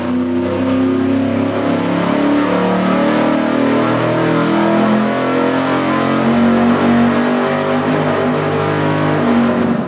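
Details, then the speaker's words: Cheap vacuum-secondary carburetor run straight out of the box on an engine dyno at full throttle: a throbbing, uneven surge through the exhaust instead of a clean roar, pulsing like a massage shower head. Carb delivery is suspect. "Yeah, but based on the live view. It doesn't really sound very good. It doesn't sound good. It was almost pulsing like a massage shower head in a hotel room."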